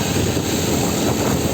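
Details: 1996 Nissan Altima after a crank-no-start with code P0340, fixed by fitting a brand-new distributor: steady, even idle with no misses or knocks, a smooth hum under some wind; the engine now runs cleanly.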